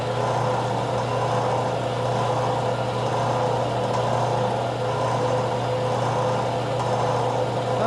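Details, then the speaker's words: Craftsman 101 12-inch lathe motor after fix: end housings removed and rotated a quarter turn, capacitor wire extended. Steady, even low hum at one pitch, no knocking, rubbing or wobble; runs smoothly. "So, as you've seen, it worked. So, it still works."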